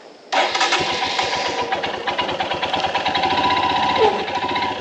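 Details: Royal Enfield Himalayan BS VI, cold start, happens only in the mornings: engine catches and settles into a fast idle with a busy metallic clatter on top; the dealer service found no resolution, and the cause is unknown.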